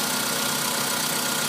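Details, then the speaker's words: VW Polo Sedan engine that knocks when cold (outside −2 °C), now warmed up; steady even idle with no knock left in the rhythm; normal idle. "Все, теперь работает ровно."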